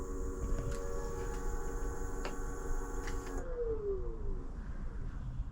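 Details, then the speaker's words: Electric scooter hub motor after controller and display replacement: smooth electric whine holds steady, then slides down as the wheel coasts to a stop; runs normally but tops out around 10 km/h, which seems slow. "It did only just go up to 10 mile an hour then, which, or 10 kilometers an hour, which is very slow."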